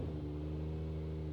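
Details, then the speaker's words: 1JZ-GTE-swapped Lexus SC300, first start after sitting, not in gear: smooth, steady low idle with even hum and no misses or knocks; runs well, apparently needing a new battery. "oh my God it's it runs so well okay I guess I just need a new battery"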